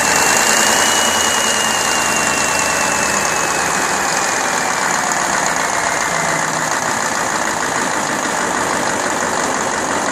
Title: Deutz 1015 After Overhaul